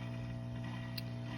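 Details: Top Fin Indulge 3-gallon aquarium under a month old: constant low filter pump hum with a faint bubbly gurgle and a small click, gurgling for two days; persisted after cleaning the filter, cause unknown.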